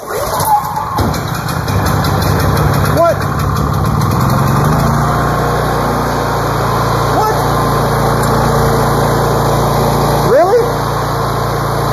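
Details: Older Honda generator that had refused to start, now firing: it catches within a second and settles into a steady, even run with no misses or knocks. It runs normally; low oil shutdown is suspected, and it leaks oil.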